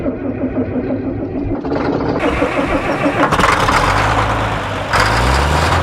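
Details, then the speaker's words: Caterpillar D7F bulldozer diesel, first start in about 10 years, cold: starter grinds briefly, then it catches within about three seconds and settles into a steady, even clatter; healthy start. "Did you hear it? It sounded amazing. Like, I really didn't even expect it to start that easy. I just hit the key and within 3 seconds, it was running."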